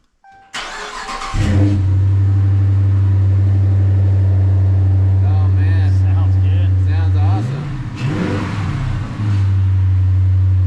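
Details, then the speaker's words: Totaled Dodge Challenger Hemi V8 with a new battery, first start on the lift, rear exhaust clamp removed: cranks and catches into a deep steady idle with clean revs, strong even burble, faint exhaust rattle from the loose clamp. Healthy start and rev. "Give it a little bit. It's rattling because I got that exhaust off of there. All right. Woohoo! We got 2 running Sweet. Hemi Challengers that sound great."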